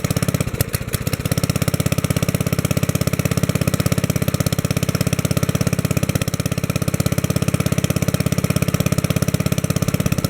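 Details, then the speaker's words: 1964 Wheel Horse 704 with a Kohler single-cylinder engine, first run after a rod knock repair (rod and cap refitted to a worn crankshaft). Even, quick beat with no knock; it sounds good and runs healthy. "all right that sounds good so far i'm gonna let it run at that speed for a little bit"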